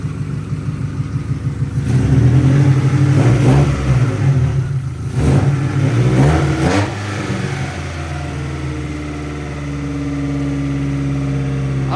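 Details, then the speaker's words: Integra: the engine revs up and down, then hangs at a raised hum instead of dropping back to its earlier healthy idle of about 800 rpm. The throttle body is suspected of not closing, but this is not confirmed. "so what Draven is trying to say is who thinks that when the throttle body opens it doesn't close"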